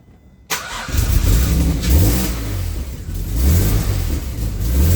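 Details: AJ30 Jaguar / Ford Duratec V6 in a Gilburn Invader on ME360 ECU, cold, during VVT setup: blips up from idle but each rev stalls and dips abruptly, like a rev limiter.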